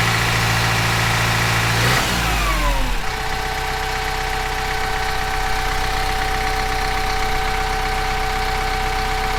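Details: Kubota M15GX engine after a full engine rebuild, fresh John Deere 30-weight break-in oil; revs fall off to a steady, even idle clattering about four beats a second; oil looks clean with no glitter; normal idle.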